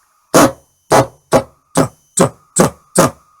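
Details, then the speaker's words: Prototype microphone preamplifier PCB for an ETI vocoder build with an IC-pinout layout error; shouting into the mic gives short, harsh, gravelly rasps with no clean tone from the speaker: distorted audio output. "if I shout really loud into the microphone I can get a very distorted sound out of the speaker clearly something's not right"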